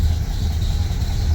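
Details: Ford Model A (1927-1931) four-cylinder just after cold start with spark advance set halfway: deep, even low rumble with steady idle beat, no knock; normal idle (owner notes a fan belt squeak possible).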